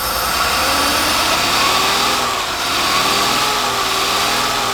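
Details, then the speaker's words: Forklift engine freshly fitted with a replacement carburetor, choke not hooked up, revved up: rough, faltering note that stumbles under acceleration before being backed off; more tuning still needed. "Feel it. Hear it stumble. Back it off."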